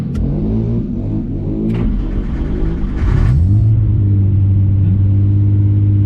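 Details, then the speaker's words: Ford XR4i with Scorpio 24-valve 2.9 Cosworth V6, after retrofitting variable intake via ViPEC ECU and BMW EGR vacuum solenoid: engine blips several times, then a smooth steady fast idle with even pulses; VIS apparently switching on and off as expected. Normal engine revving. "so that was fun and it seems to be looping or switching it on and off as I was expecting"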